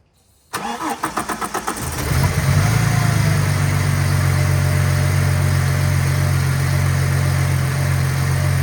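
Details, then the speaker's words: Ford AU Falcon, harmonic balancer just hammered roughly back into position, started to check it runs true: cranks briefly, catches cleanly, settles into smooth steady idle, no knocking or wobble; normal idle. "I'm going to start the car up, see how true it runs on everything."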